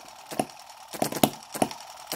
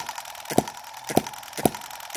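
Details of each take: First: Microcosm M17 1.6cc model hit-and-miss engine with atmospheric intake valve, mixture just richened quite a bit: sharp pops every half second or so with quiet coasts between; owner wonders if it will die from over-richness as before; rich mixture. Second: Microcosm M17 1.6cc model hit-and-miss engine, revived after earlier flooding was cleared: sharp crisp pops just under two per second with quiet coasting between, running properly.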